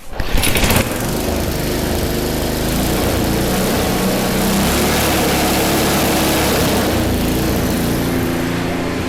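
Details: Cheap MTD snow blower small engine after moving the governor spring to a different hole and adjusting the high-speed setting: brief start-up burst, then a steady, even single-cylinder drone at high speed with no surging; running fine.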